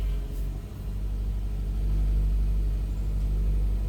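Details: 2002 Toyota Corolla LE salvage-auction car with suspected suspension damage, first start with check engine light on: low, steady rumble with an even pulse, no ticking or knocking; healthy-sounding idle.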